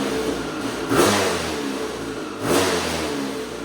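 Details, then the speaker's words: KTM 250 SX two-stroke engine in a custom quad build: two quick revs over a crisp idle with revs wavering slightly; owner suspects an air leak, possibly from the power valve not rebuilt with new O-rings. "do you hear that little fluctuation in RPM? It almost makes me believe that it is getting a little bit of air somewhere."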